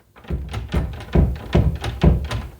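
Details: Closed door rattles in its frame when the AC kicks on or somebody opens a door: a quick uneven run of dull thunks from a loose latch fit; fixed by bending out the striker plate tab.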